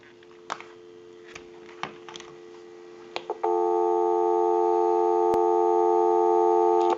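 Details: Rotary dial desk telephone after repair and conversion, final checkout on the line: a few dial clicks, then a steady clean low dual-tone hum holds evenly, a normal dial tone.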